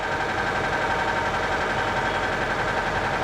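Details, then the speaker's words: Copart auction car, believed run without oil for a while, check engine light on: otherwise smooth idle with fast light tick about three or four per second; suspected lifter or valvetrain damage, unconfirmed. "It runs perfectly smooth though, aside from the ticking noise."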